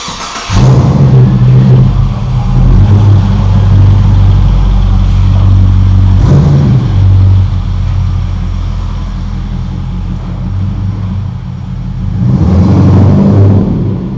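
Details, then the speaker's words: Clubsport with rebuilt 4L60E automatic, warm after short run, light to medium throttle test drive: engine note climbs and drops cleanly at each change, no flare, slip or thump; crisp, smooth, healthy shifts. "I'm hoping from the exhaust note you'll hear how crisp and clean the gear changes are, and then I'll drive it a bit harder and you'll also hear how short and punchy the changes are, but they're still very smooth"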